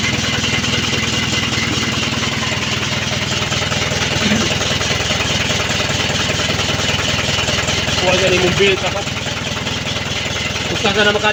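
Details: Mitsubishi Canter 4D33 diesel engine cranks steadily at about four compression beats a second but never catches or picks up speed: crank, no start.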